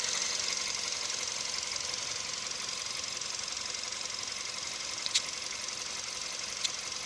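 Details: VW CFNA engine at operating temperature, hot idle: sharp, light metallic tapping about three per second over the engine hum; knock appears when warm.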